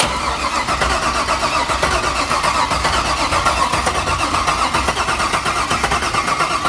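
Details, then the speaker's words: 50th-anniversary C5 Corvette Z06, about 50,000 miles, non-runner from storage started for the first time in years: uneven, lumpy, stumbling firing, barely running; suspected dead cylinder or injector, coil power to be checked. "It sounds like there's one injector firing. Or one cylinder down. There's a dead cylinder on this."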